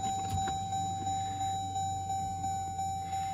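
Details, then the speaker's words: 2014 Jeep Grand Cherokee EcoDiesel after an oil and fuel filter change. Key cycled to prime the fuel system: a thin steady pump whine with faint pulses, its pitch changing as pressure builds, then it shuts off. This is normal priming, and the engine started right up. "So there you can hear the fuel pump running. It's kind of a whining sound."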